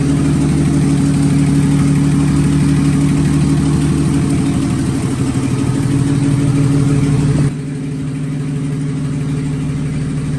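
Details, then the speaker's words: 1954 Fargo half-ton flathead six idling after piston ring install and valve adjustment: steady, even, smooth low drone with no knocks or misses; good oil pressure. Carb float height issue noted; owner thinks a water pump is needed. "we got a good running motor now we're going to run it a little bit more before we do an oil change and get that done"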